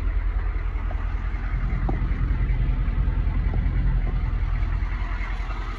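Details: 1986 Chevy K5 Blazer M1009 with a new alternator, rebuilt starter and upgraded fuel filter, started and given a little throttle: the V8 settles into a deep, even, smooth idle with no ticks, knocks or misses; normal.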